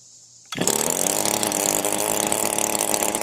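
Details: Echo SRM 225 two-stroke string trimmer, previously hard to start with oil leaks, tested for crankcase, cylinder base and muffler air leaks; catches and holds steady high buzz with no RPM dips; runs clean, no leak found.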